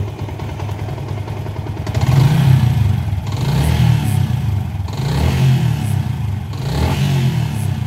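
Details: Yamaha Sniper 150 single-cylinder with error 46 and 96, after push start: revs rise smoothly through three throttle blips and settle back each time, no misses or clatter; normal revving.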